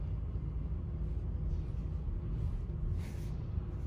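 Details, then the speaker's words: 2019 Chevy Equinox idling rough and shaking: uneven rumble with irregular thumps; current misfire cylinder 4 throwing the engine off balance. "that misfire is probably causing the other misfires it's making the engine run off balance"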